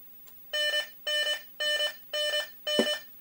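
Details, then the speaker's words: Midway Space Encounters (1980) arcade game on a test harness with newly wired sound board, game restarted out of test mode: a steady string of bright electronic beeps, about two a second, each a short chord; the timer-end sound plays correctly. "cool that's the timer ending so that works"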